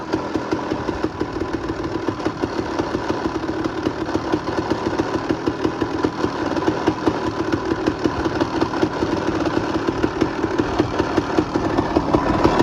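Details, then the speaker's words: 2001 Honda CR250 two-stroke at idle: sharp, regular rattling ticks growing louder, gone when the clutch is pulled; worn clutch basket chattering, which looks bad on inspection and is to be replaced with a used basket. "pull the clutch and the noise goes away. So, basket's the issue. I've got a new used basket. Um, yeah, if you hear like a and it goes away with the clutch, it's the basket."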